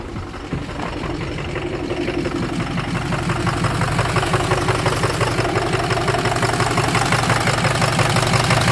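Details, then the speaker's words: 2006 Ford 6.0 Power Stroke diesel running rough, oil cap removed to check blow-by: steady chuffing puff about three times a second from the crankcase, showing excessive blow-by; suspected one or two dead cylinders. "here let's see if we get this cap off oh yeah all right we got a dead hole possibly two dead holes"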